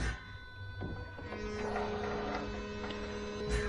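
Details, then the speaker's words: Land Rover Discovery 3 diesel low-pressure fuel pump running after a diesel filter change, pressure reading 2.5 versus 5.8 before. Steady electric hum and constant whine, louder than before when it was barely heard, seeming to deliver more fuel; pump working normally. "the pump is definitely noisier than before isn't it well i think it's definitely noisier it sounds like it's delivering more fuel yeah it's working"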